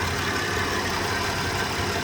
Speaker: Yeah, but definitely runs good. Love it.